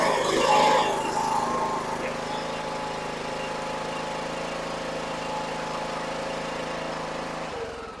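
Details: John Deere E100 riding mower, earlier died while driving with a puff of smoke; the small single-cylinder engine holds a steady, even beat, then winds down to a stop, running normally.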